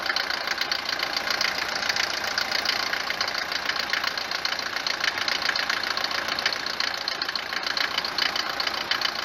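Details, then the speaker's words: Mercedes 190 W124 diesel, bought five months ago, recently switched to 10W40 oil, no oil consumption; hard rapid clatter at cold morning start that lessens as it warms; heavy diesel knock, cause unconfirmed. "لما نجي نوضها نسمع التقربيع بزاف، تبدا تقربع كما شتي في الفيديو، ولما تسخن شويه يبدا دوك التقرقيب كينقص، يعني ما يبقاش بزاف كما شتي في الفيديو."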